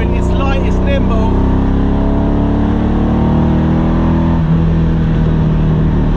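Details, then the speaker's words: Ferrari 308 V8 with a new loud exhaust, under way: a loud drone with a lumpy, uneven beat instead of a smooth burble, not firing on all eight cylinders; engine misfire. "308s typically are not very loud and this one as you can hear it's not firing on all eight either"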